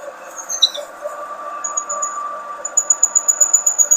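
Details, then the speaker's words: Large old self-feeding drill press, recently unseized from rust, running: a high, thin squeak pulses about four times a second over a faint hum. Owner suspects a failing bearing, and the gearbox oil looks black and needs changing. "It's quite a noisy machine. I think there's a bearing on its way out as well, and I need to change the gearbox oil."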